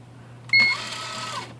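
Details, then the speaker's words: IBM Wheelwriter 10 typewriter carrier on tab: short high squeak as it sets off, rattly run stopping early and binding; carrier motor freezing up, dry motor bearings and sticky rails. "should have moved all the way to here and it made that squeaking noise and didn't so right now it actually thinks Kerry thinks it's over here"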